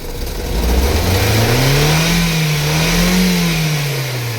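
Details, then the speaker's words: Mazda 3 1.6 16V petrol on LPG, 256,000 km, 5-speed manual, started easily after -20°C night: free rev rises smoothly, holds and settles without stumbling; healthy, though it shows a slight suspected misfire at idle and a rattling A/C compressor. "obroty wkręca się ładnie."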